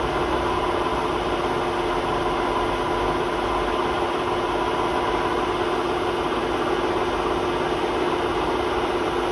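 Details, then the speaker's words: Hotpoint WMA32 washing machine at 800 rpm spin with worn drum bearings, before replacement: loud continuous roar with a steady horrible squeal riding on top through the high spin. "It's about 4 turns in that piece. Such a horrible squeak."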